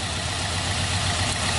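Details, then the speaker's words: Truck engine at idle with the number two cylinder's spark plug wire disconnected runs very roughly and unevenly, nearly stalling; unplugging cylinder one instead runs better, during misfire troubleshooting. "it actually runs really, really bad. It It just about killed the motor."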